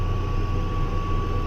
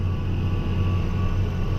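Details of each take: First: Case 305 tractor disking ground under load: deep steady diesel drone with a thin constant high-pitched chirp that appears when load is applied and goes away when load is removed; exhaust manifold gaskets recently replaced, curing a ticking; owner suspects turbo wastegate, unconfirmed. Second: Case 305 tractor disking old wheat and rye ground under load: steady low diesel drone, even pull, no manifold tick after new exhaust manifold gaskets fixed ticking; a faint chirpy sound under load remains, source unknown.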